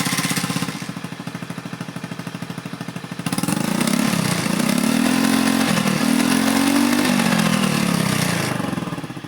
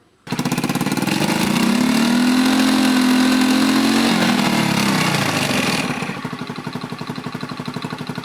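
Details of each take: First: Honda Beat FI injection scooter after replacing a weak part, pressure now 40 psi, injector 3.0 ms: starts easily, revs rise and fall cleanly on throttle with no delay or hesitation; previously hesitated. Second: Honda Beat FI injection scooter before repair: revs rise with wavering uneven pitch then sag to stumbling idle; hesitates and stalls on throttle because fuel pump pressure is too weak, fuel trim beyond ECU's ±25% correction range.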